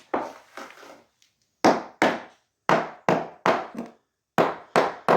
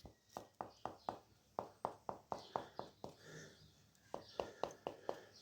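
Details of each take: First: Sharp taps in short bursts ring hollow and papery on a cement screed laid over the original concrete slab; the screed never bonded to the slab and is being lifted with a breaker. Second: Crisp taps on newly laid natural stone tiles, set overnight on the relaid floor after the debonded cement screed was lifted, with no hollow or rattling note; tiles solidly bonded.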